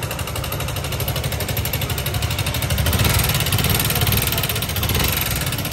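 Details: Suzuki Gixxer SF FI motorcycle: uneven metallic clatter rides over the idle and doesn't settle; oil never reached the head, camshaft worn down with iron filings, valvetrain knock from oil starvation.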